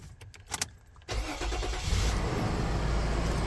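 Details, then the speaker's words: 2003 Toyota Prado 120 series 4.0 V6 petrol: after replacing the starter motor, a second of quiet clicks, then a crisp crank that catches at once into an even, steady idle; a healthy start. "And now, moment of truth. Let's see if she starts."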